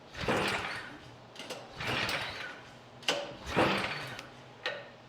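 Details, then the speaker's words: Craftsman Select 26 snow blower, engine 675-WUB, only a few years old, choke on then off, half to 3/4 throttle, primed: repeated recoil pulls, each a short rasping whir with no catch; no-start. "if this is running correctly it should fire okay it's not firing we're going to go ahead and turn the choke off and try it a couple more times just in case I flooded"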